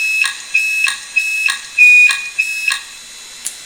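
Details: Old Maxtor/HP hard drive at startup: shrill, high-pitched chirping tones pulsing about three times a second like an alarm siren, a failing drive screeching, cause not known.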